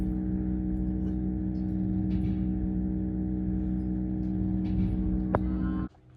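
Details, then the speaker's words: Dairy barn silo unloader on a very cold December morning, around 0° overnight: steady motor hum with low metallic ringing and occasional clanks as the unloader strains against its ring, which is frozen in the center and can't turn. "Froze up again. You might be able to hear it kind of clangs."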